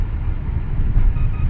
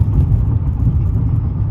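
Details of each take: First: Dodge Intrepid idling after reconnecting cylinder 1 injector accidentally unplugged during coolant bleeder housing job: deep steady even rumble, no misfire, check engine light no longer flashing. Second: Dodge Intrepid with flashing check engine light and cylinder 1 misfire code after coolant bleeder housing replacement: deep, lumpy, shaking idle with stumbling pulse; cylinder 1 injector connector had been unplugged during the work.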